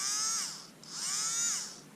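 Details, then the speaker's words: Black & Decker 3.6V Gyrodriver with a dead battery, motor powered from a bench power supply: two clean spin-ups, high whine rising smoothly, holding and winding down, no grinding; motor works fine. "Hopefully you can hear that as well as see it. Spin, spin. The motor works absolutely fine."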